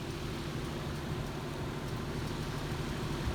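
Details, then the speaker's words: Comfortmaker outdoor AC unit, no cooling: outdoor fan runs and indoor fine, but compressor only buzzes trying to start and never starts; failed run capacitor (45/5) replaced. "what sounds like the unit running with no compressor. Yep, I hear it buzzing, trying to start."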